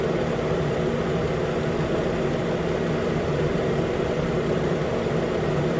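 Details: Idle after AC compressor clutch and serpentine belt replacement on a 2013 Nissan Pathfinder four-wheel drive with about 265k miles: steady, even idle with a smooth low hum, no knocks, ticks or belt squeal; engine sounds healthy.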